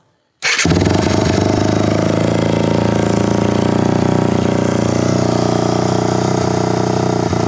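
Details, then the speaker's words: Kawasaki KFX450R after relocating and upgrading to a larger 400EX battery, started with choke on; brisk crank, fires within a fraction of a second, then steady loud single-cylinder idle. Normal quick cold start. "you could hear how quick it starts up I think that's just because it cranks over so much quicker than it would with a smaller battery"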